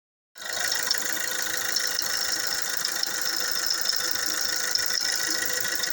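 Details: Fiat Doblo 3 Multijet at idle: thin, tinny metallic chatter over light idle; bad chain noise.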